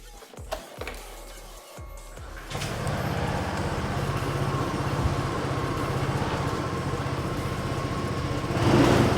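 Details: Honda PCX125 scooter, 5,670 miles, startup: a few starter clicks then catches and settles into a smooth, even idle around four pulses a second, no knocks or rattles; normal idle.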